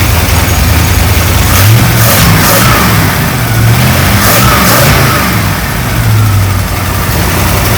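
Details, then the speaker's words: 1935 Ford 3-window hot rod, 327 V8 with six 2-barrel carbs and a 4-speed, after re-tightening the loose throttle linkage with thread lock: a big V8 rumble that picks up cleanly on repeated throttle blips with no stumble or hesitation. "okay so safe to say it works I'm just gonna maybe go through a few more of them and just double check it but I seem to be happy with the progress of that so far so everything seems to be working as one"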